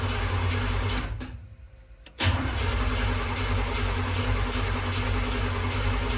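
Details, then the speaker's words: Freshly rebuilt Chevrolet El Camino 350 V8 cranked with distributor power disconnected to build oil pressure (about 50 psi while cranking): even starter cranking with steady compression pulses, a pause, then cranking again, never firing. "So, I'm going to crank it again. There's no power to the distributor, so it can't start."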